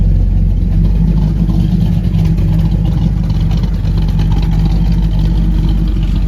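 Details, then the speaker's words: Newly installed ATK 390 hp 350 small-block Chevy in a 1936 Ford, hydraulic roller cam, block hugger headers, single-chamber Flowmaster mufflers, heard at the exhaust: deep loud lumpy idle rumble with a few rev blips, normal healthy cammed V8. "It's got single chamber Flowmaster mufflers on it, block hugger headers, and it's got a nice sound to it."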